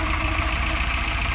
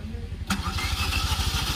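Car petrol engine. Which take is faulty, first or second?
second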